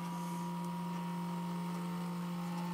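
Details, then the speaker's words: Jet Central kero-start RC jet turbine fuel system, priming the burner line via the HDT hand data terminal with an overflow attached: steady electric pump hum at one even pitch with a faint higher tone while fuel and air bubbles are purged. "so we'll wait for fuel to get back here we'll let it come it's right here right now going to get all these air bubbles"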